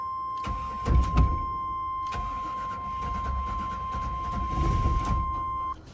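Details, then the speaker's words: Chevy 454 big block in an OBS tow truck after new Bosch injectors and a JB Weld-repaired lower intake, start once the coil was plugged in. Cranks, fires in ragged bursts, then settles into an uneven, lumpy run; ignition timing is off. "you can tell the timing is off so it's 10 p.m. and I guess like seven times a charm it's not real happy but it does sound a whole lot better than it did"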